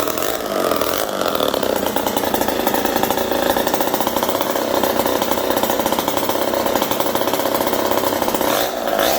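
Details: Homelite 775D chainsaw after a full overhaul (cleaned Tillotson carb, cleaned points, new condenser, repaired ground wire, new clutch drum and bearing): a loud, steady high-revving rasp holding even speed without stumbling. Normal running.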